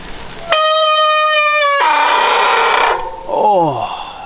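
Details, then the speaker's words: Bicycle disc brake: loud piercing squeal with steady horn-like pitch turning harsh, then sliding down as the wheel stops, caused by contamination between rotor and pads so the pads slide instead of grabbing. "this customer has gotten some contamination between their brake rotor and their brake pads what that does is prevent the brake pads from grabbing onto the rotor themselves"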